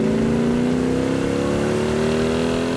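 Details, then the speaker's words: 1967 Hemi GTX convertible V8 with dual quads and 3.54 gears, driving under load; deep even exhaust climbing smoothly in pitch, no misses or knocks, chirps when letting off; strong normal acceleration. "oh it's got a ton of power just amazing you know nothing like the torque of that thing when those dual quads open up you can hear it"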